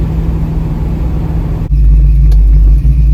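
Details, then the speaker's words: Carbureted Mustang after new Mr. Gasket 1-inch aluminum spacer, new gaskets and a re-seated intake stud: light throttle, deep rumble building cleanly with no hesitation or sudden surge, unlike the earlier violent hesitation then lurch. "Yep. No hesitation. I'm feathering the... Look at that. I'm not even pushing the gas hardly. It's going."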